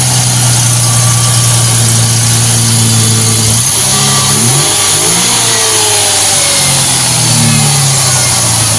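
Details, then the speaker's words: Restored Mustang V8 with headers, started off a jump pack after failing on a supposedly charged battery: strong lumpy idle swelling smoothly on throttle blips and settling back; healthy running, no knocks or ticks. "Sounds good. Well, get started once a while. Still ps like a kitten."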